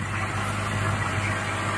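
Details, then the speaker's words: Old six-cylinder diesel Mercedes-Benz idling just after its first start after sitting a long time: steady, even idle with smooth low hum, no knocks or misses, no leaks seen; normal idle. "Sounds good. I don't see any leaks. Starting for the first time."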